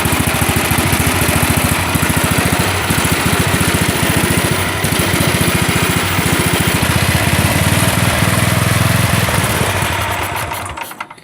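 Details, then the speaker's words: Massey Ferguson 8 hydrostatic tractor with an old battery, run with less choke: the small engine chugs quickly and evenly, then falters and dies; owner thinks it ran out of gas. "And I think we just ran out of gas."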